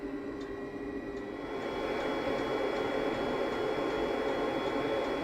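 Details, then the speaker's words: Narrowboat Webasto diesel heater after fuel filter cleaning and restart: steady even roar with a faint regular ticking about four per second from the fuel pump, no surging or misfire; running normally. "That ticking sound you can hear is the fuel pump working. Fuel coming through, hopefully. Not too much air. That sounds good."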